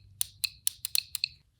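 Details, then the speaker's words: Relay actuated by a VDIAGTOOL V200 circuit probe to test it; crisp, sharp clicks, about six in a second and a half, each clean and distinct, relay pulling in and releasing properly: relay clicking normally. "I'm going to simulate actuating the relay to test it you can hear the relay clicking"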